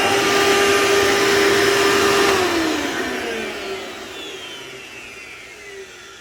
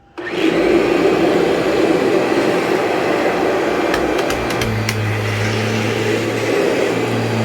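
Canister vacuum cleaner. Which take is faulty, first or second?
first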